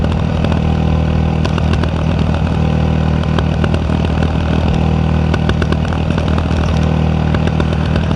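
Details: Yamaha WR 125X single-cylinder with an Arrow exhaust, lumpy idle broken by irregular sharp cracks and pops from the pipe, several a second; exhaust popping (misfires), cause unclear.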